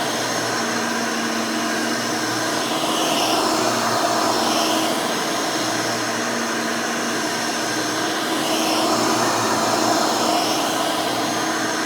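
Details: Rebuilt Hoover Elite 600 upright vacuum with new 7 amp motor and 20-blade fan running; steady, even high whine with smooth airy rush, no rattle or scraping; smooth, fairly quiet, like the original 6 amp, healthy.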